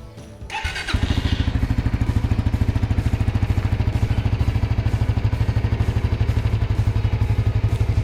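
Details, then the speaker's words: Suzuki GSX-R150 just after oil and filter change to Fastron Techno SAE 10W-40; catches after short crank and settles into steady even idle, no ticks or knocks, owner finds it slightly smoother than before; normal idle. "Suaranya lebih adem, tapi yang nggak signifikan banget. Cuma dari oli terakhir Ipon kayaknya ini lebih lembut."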